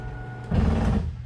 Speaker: again, gear grinding noise means you're fully extended.